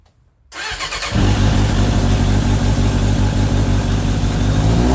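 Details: Suzuki GSX600F Katana with aftermarket exhaust and air filter, rebuilt carbs set 4 turns out: fires up quickly into a steady, even idle for initial sync; carbs still unbalanced at 3,000 rpm, battery overcharging under investigation.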